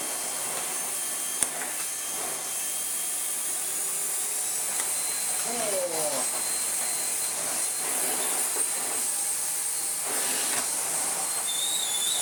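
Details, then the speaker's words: Miele S8 vacuum cleaner built from two units, with new filters and bag: steady even high airy rush with no rattles, surges or grinding; motor runs smoothly. "so we'll plug it in although you probably know what a working member sounds like by now and yeah"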